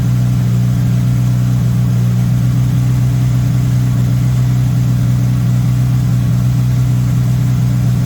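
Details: MK1 VW Rabbit with Weber 32/36 carburetor, no choke hooked up: steady, fast, even idle around 2000 rpm that never settles; idling too high while idle screw is adjusted, owner suspects an audible vacuum leak, later set to about 1100-1200 rpm.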